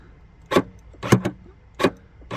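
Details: Smart ForFour 454 tailgate release switch, micro switch cleaned and repaired with shuttlecock piece: four short sharp clunks about half a second apart as switch is pressed; latch releases cleanly and works normally.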